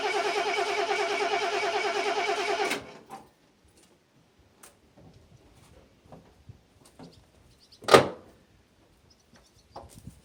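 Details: RV engine after sitting two years in storage cranks at an even, quick rhythm for under three seconds, then stops without firing; crank-no-start, owner says it needs gas getting to it.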